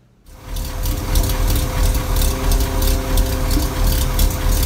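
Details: Toyota Tundra 5.7L supercharged V8, cold: a "ghost cam" tune makes a deep, loping, choppy idle imitating a high-lift, long-duration cam; the external fuel pump hums in the background.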